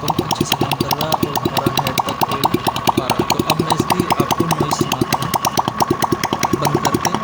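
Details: TVS XL 100cc engine idling after head/half-engine rebuild with timing and tappets set (tappets kept slightly loose for running-in), oil pump confirmed feeding the head, cloth over silencer; quick, even single-cylinder beat, crisp regular pulses, no tapping or rattle: normal idle.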